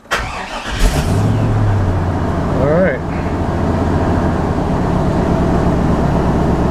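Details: 1998 GMC pickup after replacing the security/safety wire to cure a no-start: a brief crank catches quickly, revs once, then settles into a steady, even idle. It starts and runs normally.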